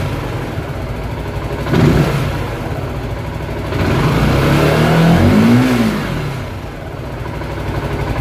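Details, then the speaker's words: Zontes 125 motorcycle running a test Bosch MSE 6.0 ECU before flashing, warmed to 52 degrees, battery charger attached in winter: idle then two throttle blips climbing and falling smoothly without stumble; revs up evenly. "Jak widać, motorek ładnie pracuje. 52 stopnie."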